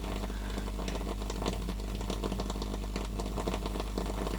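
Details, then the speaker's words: Pioneer SX-450 receiver with a swapped-in power switch: irregular crackling and popping over steady mains hum, worse with the switch in circuit, fine with a clip lead bypassing it; switch contacts arcing badly, later repaired. "Listen to it. It's going to start smoking in a minute, I think. I can hear it crackling in there pretty badly. Oh, it is really arcing."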